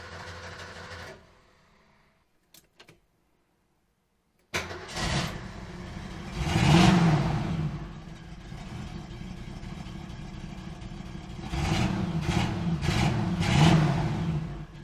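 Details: 1973 Ford Maverick 302 V8, sat two years, on a little fresh gas with the gauge on empty. It catches after a pause, then runs lumpy with surging revs and no clean idle; the owner thinks the timing is a bit off.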